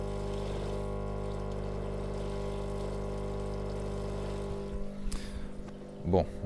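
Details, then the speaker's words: Indesit washing machine that would not drain: loud steady buzzing hum from the faulty drain pump, then gurgling and splashing as water is pulled through; the pump was damaged by debris and coins lodged inside. "donc la bombe où j'ai mis un petit saut pour équiper la flotte et entendant le petit bruit de la pompe défectueuse"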